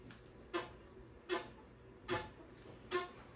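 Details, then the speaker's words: Pooboo stationary exercise bike, rider pedalling forward: sharp squeak once per pedal stroke, about 75 a minute; loud squeak when first getting on that eventually goes away, occurring forward and backward; owner suspects the belt. "Hello, this is my Pooboo stationary exercise bike, and it has a serious squeak on it when I first get on it. Eventually it goes away, but it's very annoying, so I'm going to show you how it sounds when I get on it."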